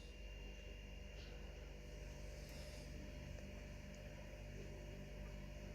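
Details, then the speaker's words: Kegerator (Series X 4-tap setup) fridge just turned down to about 3: steady low hum with faint fixed whine as the compressor runs; fans not yet hooked up. Normal compressor running. "I've just turned it down to 3 something that's running now that other fridges just kicked in"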